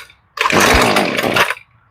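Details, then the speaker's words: Husqvarna string trimmer, long unused, after carburetor replacement, started on full choke: sharp buzzy two-stroke note catches and holds about a second then drops off; sounds pretty good but needs carb tune-up. "That was promising. She sounds pretty good."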